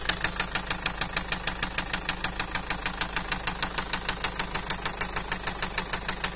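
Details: Car engine at idle: sharp, very regular crisp metallic ticking about twice a second over a steady idle, a clear tapping knock from the engine.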